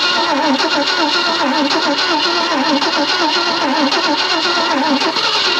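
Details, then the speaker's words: 1965 Thunderbird off the road since 1986, cranked with starting spray after sitting: steady starter cranking about one beat a second with faint catches but never picks up; owner next tries fuel in the carburetor bowl. "do you hear it triy to crank it tried let me get some gas me see if I can put some in the bowl maybe I dog it"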